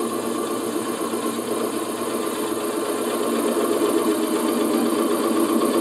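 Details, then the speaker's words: Lathe turning of a thin workpiece slowed from 1400 to about 400–500 rpm: even steady cutting hiss with no pulsing or rattle; vibration chatter eliminated at low speed by changing parameters. "et pourquoi qu'à basse vitesse ma pièce ne vibre plus c'est que j'ai changé les paramètres"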